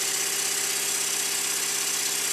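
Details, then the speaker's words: Completed Stuart Models S50 model steam engine running after valve timing was set as well as it can be. A fast, even beat with no knocks or missed strokes; it runs sweetly. "with the timing set now to where I would say it's as good as it's going to get I cannot fault"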